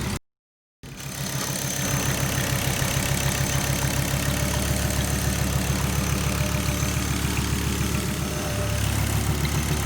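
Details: Volvo 850R idling right after owner removed and cleaned the PCV system, ports blown through, new OEM hose and bung fitted: smooth, even idle, steady low pulse, no knocks, misses or hissing; healthy.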